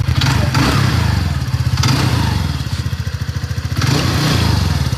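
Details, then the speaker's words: TVS Ntorq 125 scooter after repair and tuning: smooth, regular low thump at a steady idle with no ticking, clatter or misses. Normal idle, said to run exactly like when new. "অলপ চাই যেনেকৈ আছিলে প্ৰথম নতুন কেইজনে কিনি আনে ন একদম চেম একজেক্ট এনেকুৱা হৈ গ'ল"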